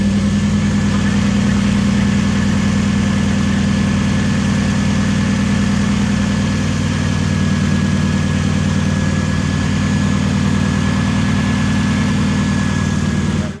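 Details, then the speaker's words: Supercharged KA-swapped Nissan 240SX after converting from a Ford wasted-spark system to sequential coil-on-plug ignition: steady, even idle with a smooth low hum and no misses or knocks, holding level until shut off. It started like it always did. Normal idle. "everything's shaking yeah it started up like like everything was as it always was"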